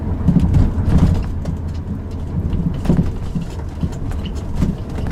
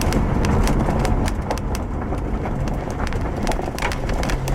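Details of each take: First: Driving a 2007 Subaru Outback over bumps, with the microphone in the rear, gives dull clunks and a squeak over road rumble. The left rear upper strut mount had come apart, and the mount was replaced. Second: 2007 Subaru Outback road test after replacing the failed left rear upper strut mount that clunked and squeaked over bumps; microphone in the rear by the upper strut mount: steady road rumble, light plastic ticks from loose quarter-panel trim, no clunk.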